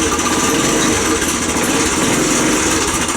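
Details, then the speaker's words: Postie bike single-cylinder engine reassembled after checking the valve clearance, clearance not adjusted: busy, clattery mechanical rattle over a quick steady idle; noise persists, source unknown, owner hopes it is something loose. "still noisy um but I don't I don't know what that noise is"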